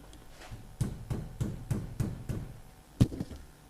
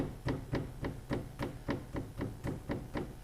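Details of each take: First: Nissan S15 drift car after replacing rose-joint rear arms with polybush: dull, solid taps on the rear suspension arm land cleanly with no rattle. The earlier knock is gone. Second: Nissan S15 drift car rear suspension arm tapped by hand: dull, loose knock from worn rose joint (replaced two or three times before), being swapped to poly bushes.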